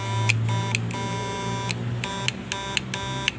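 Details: Repaired 2022 Snapman Snap Inverter fish-shocker on 12 V, 2 A supply: loud steady low buzz with sharp clicks, normal working hum.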